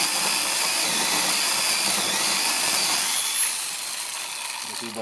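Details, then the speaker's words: Repaired counterfeit Makita DUC302Z brushless cordless chainsaw, reassembled, on one battery, full-bar cut in wood: high, steady electric whine held under load without bogging, then winding down. It previously stalled in wood and wouldn't pull; now runs healthy. "я заганяв на всю шину. Вирубилася раз, тому що попала на мабуть деревина. Все працює, навіть на одному акумуляторі, тому тест пройдений."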